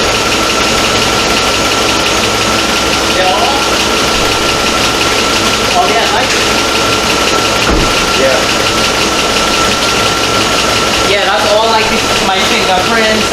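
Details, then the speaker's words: 2004 Chevy Avalanche 5.3 V8, rebuilt engine's first start: steady, even idle with no knocks, misses or surging under a loud, hissy background; healthy. "right now it's idling perfectly no check engine lights I've had it running from one hour no check engine lights"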